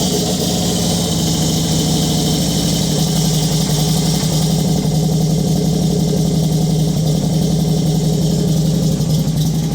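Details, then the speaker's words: Motorcycle after rocker/valve cover base plate fix for an oil leak at the front head: steady, even low idle with smooth regular exhaust pulse, no stray ticks or rattles; quiet, healthy motor. "Pretty goddamn quiet."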